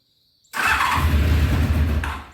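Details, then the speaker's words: 1993 Honda VFR750F, sat over a year, cold start on full choke before repair: catches with a brief rumble, then sags and fades out within two seconds when given a little throttle; stumbles on throttle. "tried a little throttle didn't like that huh"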